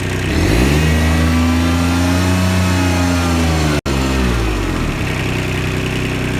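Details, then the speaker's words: Kubota RTV900 diesel with slow hydrostatic transmission, after charge pump, brass wear plates, relief valve, filters, hoses and oil replaced, revved in high gear with handbrake on: revs rise smoothly, hold under load, drop back; it pulls forward, highest pressure yet, transmission healthy. "That would actually tried to move forward there. That was in high gear with the handbrake on. It's never done that before."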